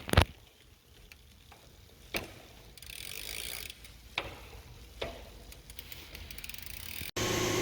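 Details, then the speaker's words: Old Schwinn bicycle after degreasing and lubing the drivetrain. Light, sparse freewheel ticking as the cranks turn, with no chain grind or squeal. Much quieter than before cleaning. "I'll tell you right away it's so much quieter not"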